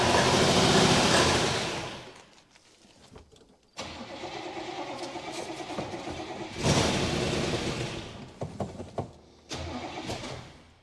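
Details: 1966 Buick Special small V8 that sat for years in a backyard, on its first start attempt with a little gas poured in and the electric fuel pump bypassed. Starter cranks in short bursts and the engine coughs, briefly catching, then dies. Suspected fuel starvation.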